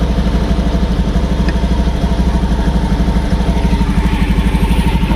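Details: Motorcycle that sputtered and hesitated without fault codes, after adding a ground wire to the green wire (resistance from about 21–24 down to 3.6): steady, even idle pulsing around three beats a second, no stumbles; runs smoothly now.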